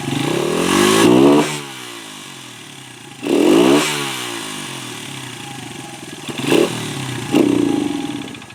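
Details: 1996 Honda XR100 single after sitting 2 years, carb cleaned and refilled, just started on kick: revs up in short bursts and drops to rough, uneven idle; runs, but carb fuelling still needs tuning.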